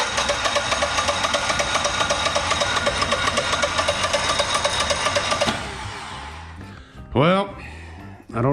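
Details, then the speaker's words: Generac XG10000E portable generator, V-twin, about 20 hours use, sat nearly two years with bad gas, using starter fluid, broken choke lever: slow steady cranking for several seconds, never fires; cranks but won't start. "come on start we're so close man this thing has always been hard to start"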